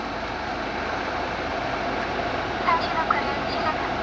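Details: BMW after blower fan replacement, blower at maximum setting: steady, even air rush with no droning resonance hum; the old fan's imbalance caused the resonance and lowered fan speed.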